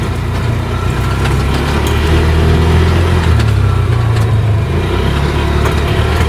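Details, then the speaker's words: 2002 6x6, now running and burning oil out of the pipe, on a test drive. Engine sound with a constant loose, tinny rattle through the chassis from worn center-wheel and hub-side bushings. "I got to wait for those bushings to come in cuz these ones are shot this thing sounds like the whole thing's about to Rattle apart"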